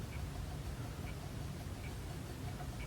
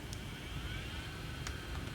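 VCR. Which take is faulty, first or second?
first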